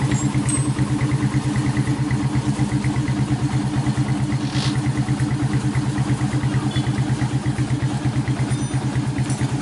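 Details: 1996 Honda GL Max after engine rebuild fixing smoke from worn piston and rings, new larger GL Pro New Tech piston fitted: steady, even thumping at idle, no knock, tick or rattle; normal clean idle.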